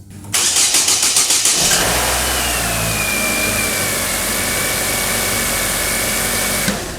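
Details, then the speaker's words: 2009-2011 Chevy Aveo 1.6L after timing belt and water pump replacement, first start; about a dozen quick even cranking pulses, fires and holds a smooth quiet idle with faint belt whine; normal start and idle. "I'm gonna start this thing up and make sure it runs."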